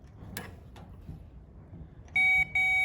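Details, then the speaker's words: Classic Mini electric fuel pump, bench-tested out of the car with power to its terminal after a suspected seizure from long storage. Steady high whine that cuts out briefly and resumes; it throws fuel out, so it is working normally. "i put power to this terminal it should now throw a bit of fuel out see what happens oh there you go that's definitely working"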